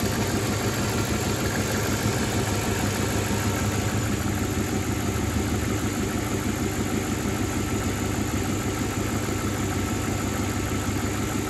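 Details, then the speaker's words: Mercedes W124 V8 idling after replacing PCV hoses with silicone ones, some background noise: steady, even low rumble with no knocks, misses or hunting; no problems found, normal idle. "all right doesn't look like any problems"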